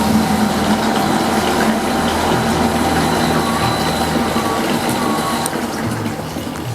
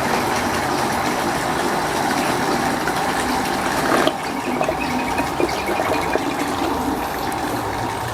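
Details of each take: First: Water pump switched on in automatic mode with the DIY PCB low-water cutoff controller (well-level sensors) installed; even unbroken hum with water flowing, faint music behind: normal pump operation before the lower sensor shuts it off. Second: Water pump drawing from a simulated well until the water runs out; the gushing flow suddenly thins while the motor keeps turning with no auto-cutoff fitted: pump running dry.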